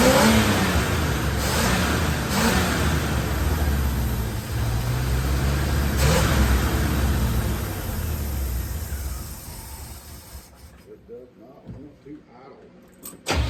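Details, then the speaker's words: 1974 C10 with original points, coil and plugs, timing set by ear: engine revs unevenly, surges and sags then dies; fuel pump had not been hooked up. "Forgot to hook my fuel pump up. It always helps to have fuel."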